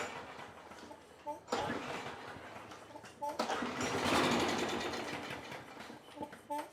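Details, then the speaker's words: Trash-picked Craftsman 6.5 HP 21-inch push mower after fitting a new Champion plug: two rope pulls, short rattling whirrs, never fires; spark confirmed, so carburetor fault causes the no-start. "enough to let us know that we've got what we already knew a carburetor issue and we had a spark"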